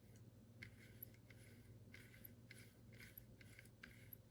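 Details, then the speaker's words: A repaired 1955-56 Packard V8 headlight dimmer switch, spun by hand on the bench, is almost silent: a barely audible soft rubbing swish with a faint squeak. The unrepaired switch sounds much scratchier from rubbing on corrosion. "almost silent you can just you can just barely hear it rubbing"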